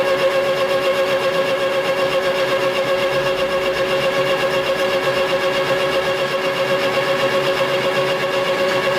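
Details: Lathe cutting at about 50 thousandths depth on a wavy surface: steady whine with constant pitch and even, mild pulsing, no bogging or stalling; cutting cleanly within capacity.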